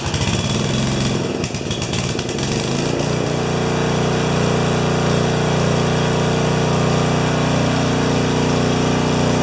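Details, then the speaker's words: 12 HP Swisher bush cutter engine after carburettor reassembly and priming: coughs and pops irregularly, then holds a steady high buzz; sounds like it's running a little lean. A carburettor piece had been lost. "so still it sounds like it's running a little lean"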